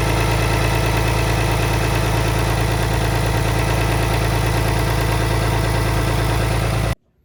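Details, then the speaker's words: 2019 Ram 3500 5th gen diesel after head gasket install, idling: thin belt-like squeal over the idle from exhaust escaping past EGR cooler gaskets (belt was new); worse with compression brake. "But if you hear what sounds like a belt squealing all of a sudden, and I knew my belt was new, so it was a new part."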